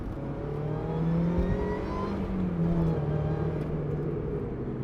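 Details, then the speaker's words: Supercharged Mazda MX-5 NA6 under acceleration while driving; smooth whine climbing in pitch with revs over a steady engine drone; healthy supercharger whine. "listen to that wine all day honestly is addictive it's not overpowering it's not underpowered it's just right"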